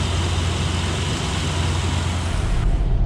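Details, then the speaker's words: 2003 Ford Explorer running after alternator replacement: steady, even run with smooth low drone, no knocks, ticks or squeals; charging good, no check engine lights, normal running. "Well, it's running great. Charging good. Everything seems to be great so far."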